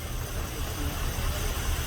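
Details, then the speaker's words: 2006 GMC Savana 4.8L V8 automatic, suspected wiring short after parts were replaced: low lumpy idle with an uneven thump every few beats; ECU injector pulses present but cylinder 8 still misfiring at idle. "y si los tiene si hay pulsos ok pero seguimos viendo un miss fire ahí"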